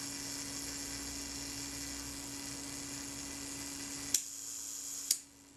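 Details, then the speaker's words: Kodak Retina IIIc self-timer, being serviced after graphite powder lubrication, firing the shutter: thin steady whir for about four seconds before the shutter clicks; sounds slow and sluggish. "well it did the job but i don't like it i don't think it was smooth enough for my liking it sounded a little bit sluggish to me"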